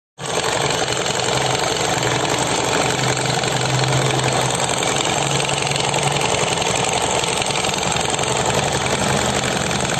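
An even, steady whir from the belt drive with no rattle or grinding bursts. The scooter's CVT runs smooth and sounds healthy.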